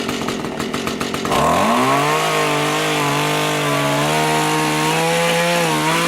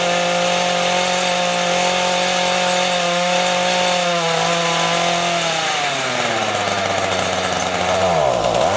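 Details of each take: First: Small two-stroke rototiller tilling soil after carburetor cleaning and low/high mixture adjustment, following winter storage with fuel in it: picks up sharply, then holds strong steady high buzz under load without stumbling. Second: Two-stroke rototiller, carburetor just cleaned after winter storage: the high buzz sags and nearly stalls when the throttle opens; the low-speed mixture screw is too lean and needs opening slightly.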